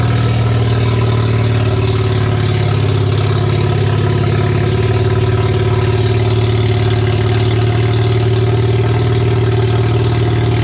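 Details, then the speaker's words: Barn-find Mazda RX7 12A rotary on first startup after years sitting, carb needles and seats suspected of flooding: steady, even, deep burble at constant idle with no misses, running until it apparently ran out of fuel; normal rotary idle. "what an absolute great feeling to see some rotary Flames uh be deafened by rotary noises"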